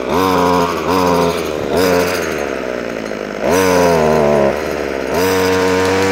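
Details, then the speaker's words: Ryobi strimmer previously worked on by someone else, after carb tuning, started off choke: engine blips cleanly from idle to high revs and back, crisp even response; running properly off choke. "I need to run it off a choke fully and then we should get a much better result so let's pull it over start it off choke"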